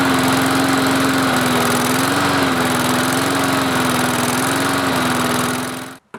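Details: Lawn mower that would start and then die, after a hand is held over the carburetor intake to draw fuel up from the tank: a steady, even engine beat and constant drone until shut off. Normal running.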